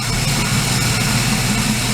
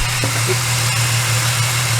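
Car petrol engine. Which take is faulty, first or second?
second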